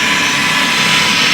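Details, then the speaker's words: Ariston 8 kg tumble dryer: a loud, steady rushing roar with a high, harsh whine from the motor and fan side. The owner suspects a bearing or possibly the belt tensioner. "Mamma mia what a noise the noise when it comes from here from the engine side so the fan makes a bad bad noise"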